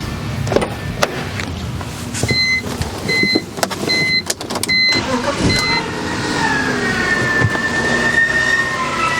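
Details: 2000 BMW 323i at idle after start: high wavering scream from belt drive, idler pulley; fixed by replacing idler pulley and belt.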